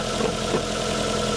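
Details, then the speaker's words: Toyota Altezza 3S-GE BEAMS with Panic ITBs, idling with A/C off while warming up: steady idle with faint irregular bubbling early on, a gurgle from the wet catch tank, likely condensation. "the gurgle you can hear actually comes from the catch"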